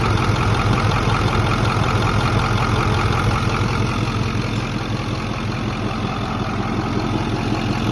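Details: Ford F250 idling: heavy deep rumble with a light, fairly regular ticking, two or three a second, like two spoons clicking, coming and going at idle; truck runs fine, source unknown.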